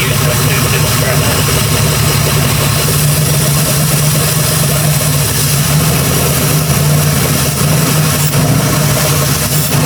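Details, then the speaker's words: Jeep Grand Cherokee with a freshly rebuilt 4.7 H.O. V8 on its first start. Steady idle with a slightly uneven, lumpy beat; a misfire at idle is suspected, though coils were recently replaced and the cause is unknown. "all right well we run I feel like I hear a Miss but he been throwing coils at it so we'll get to figure it out"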